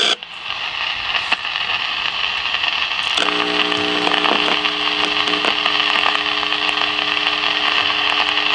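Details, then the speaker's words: 1956 CBS 5-tube AM clock radio, heard through signal tracer: loud constant hiss with crackle and a few steady tones, feeding through the whole set; silver mica breakdown in the IF cans. "this so horrifically bad that uh damn so I'm saying when it gets the when the noise gets so bad it just feeds back through the whole thing"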